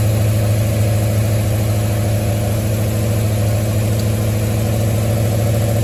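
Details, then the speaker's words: 1973 Mustang idling after a 1G-to-3G alternator conversion: smooth, steady low idle with no ticks, knocks or whine from the belt end. Charging at about 14.2 V and roughly 11 amps; engine and charging system healthy. "So that tells me that the battery is in pretty good condition, that the engine clearly cranked and fired off perfectly."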